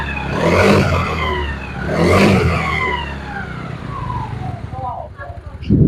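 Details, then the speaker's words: Yamaha Mio Sporty scooter after the CVT was disassembled and reassembled to cure a rough CVT sound: revs rise and fall smoothly with no knock or rattle. Normal running. "The rotation is very smooth and the speed is also good."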